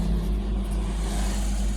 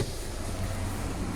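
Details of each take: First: Kia Picanto with code P0303 cylinder 3 misfire and check engine light, after repair: steady, even low idle hum with no skips or stumbles; engine now runs smoothly without misfire. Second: Car showing fault code P0303 with the check-engine light on: low, slightly uneven idle with a faint stumble, engine shaking; cylinder 3 misfire.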